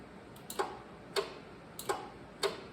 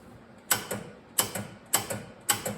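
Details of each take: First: 1979 John Deere 314 garden tractor on booster pack, key on, PTO switched on: sharp dry clicks repeat about every 0.6 s, showing the PTO clutch is getting power. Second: 1979 John Deere 314 garden tractor: key turned, four sharp clicks with faint thuds and no cranking. Starter seized or bad solenoid suspected.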